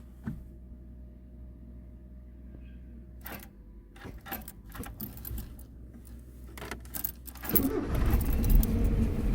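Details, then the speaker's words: Abandoned Mazda 323 Familia, B6 twin-cam conversion, manual, first start in 5 years, oil and coolant checked; key rattles, under one full turn of crank and it catches, settling into a steady run that sounds pretty good. "Oh, look at that. That wasn't even like one full turn. What a beast. And to be honest, it actually sounds pretty good."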